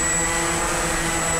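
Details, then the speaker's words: Walkera QR X350 Pro quadcopter on its first flight, flying manually just before switching to GPS mode in light wind and holding position: a steady high motor whine with a smooth propeller hum that holds pitch; even, normal hover. "I'm going to push this into DPS now and it's in GPS and it's just hanging there"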